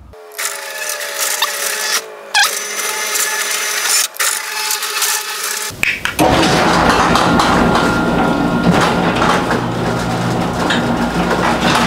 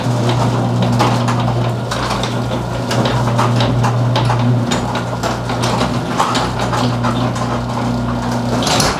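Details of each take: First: Six-month-old garage door opener running after lubricating joints and brackets with white lithium grease: steady motor hum, light even rattle, no squeal; decibel reading lower than before. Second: Six-month-old garage door opening on its opener before lubrication. Steady motor hum with irregular rattles, squeaks and light clicks as the door travels; cause suspected, not confirmed. Garage door rattling and squeaking while opening.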